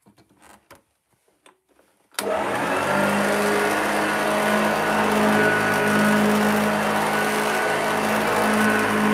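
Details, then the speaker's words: Upright running on carpet: starts from silence into a steady even motor roar with a constant hum underneath, no knocks or rattles. Sounds healthy. "that sounds pretty good so uh that's a sneak peek at that"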